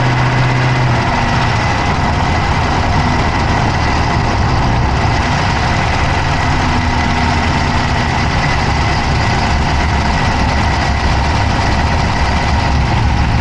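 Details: Dodge Charger Hemi V8 at idle, recorded inside the passenger-side engine bay: a steady idle with a fast, light ticking that stays even with engine speed; a top-end tick of unknown origin.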